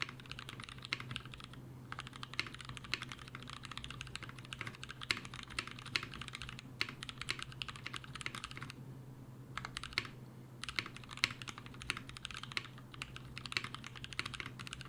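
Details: Mechanical keyboard switches lubed with a T2+T3 mix of Brazilian laser-printer fuser film sleeve grease, a potential Krytox replacement; quick, irregular bursts of soft, muted clacks, no scratch or spring ping, smooth and well lubed.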